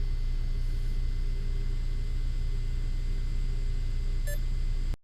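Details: Yuneec CGO3 4K camera gimbal: steady low buzz with pulsing flutter, faint high whine and one short beep; gimbal motor buzzing constantly.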